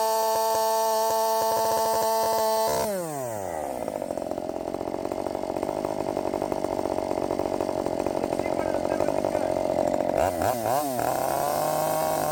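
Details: Redmax 5000 chainsaw with wide-open exhaust port muffler mod, 16-inch bar, sharpened steel RS chain, 8-pin sprocket, after self-tune: high steady full-throttle scream, pitch drops and holds strong in the cut, then two clean revs; feels much faster.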